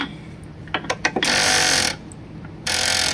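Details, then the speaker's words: Hit-and-miss engine with buzz coil and vacuum-operated intake valve, turned over by hand: a few light clicks, then two second-long hissing gulps of air as the intake valve sucks air in normally on the intake stroke. "I don't know if you can hear that that noise was the sucking air through the exhaust through the intake valve"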